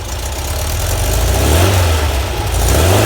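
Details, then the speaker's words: VW Type 4 flat-four at the shop, warmed through heat cycles, after 009 distributor, Bosch ignition and idle jets 55 to 50 (was hard-starting before): deep full exhaust note rising and falling smoothly with throttle, no knocks or misses; normal revving. "runs much better now turn a fan on anyway it's been letting it run through some heat cycles"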